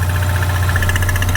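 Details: 2016 Ford Mustang EcoBoost four-cylinder, direct injected, that a shop called a bad motor, idling with the oil cap off. Fast, even chuffing pulse from the open filler and no knock: normal crankcase pulsing with no intake vacuum to draw it away, not blowby.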